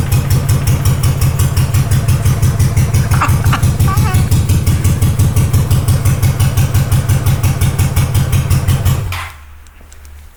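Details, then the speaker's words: Honda GL500 cafe racer build, first start in a long time after rewiring the loom, on choke with old oil: quick, even pulses at steady idle, about three beats a second, no misses or knocks, until shut off; healthy idle. "I want to see what it sounds like, see if I can get it started at least a little bit. I doubt I'm gonna get it started. We'll see, this is kind of fun though. I mean, it sounds good."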